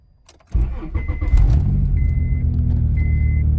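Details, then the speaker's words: Honda J-series on E85, cold start at 43°F (ECU reading 68°F), after raising Hondata FlashPro coolant temperature compensation tables to 100 and 80 to fix long cranking: brief crank, catches at once, steady even idle over faint chime; healthy. "So you see, guys, you just crank right away with no issues."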